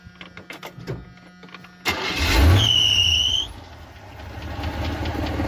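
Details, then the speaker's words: V8 after new spark plugs (old ones cracked, corroded, one with no gap; was running on about 6 of 8 cylinders) and idle turned down, first start since yesterday: quiet ticking, fires at once with brief squeal, then steady even idle. "You can hear the motor is running beautifully. I just put in new spark plugs. You can hear she's running beautifully."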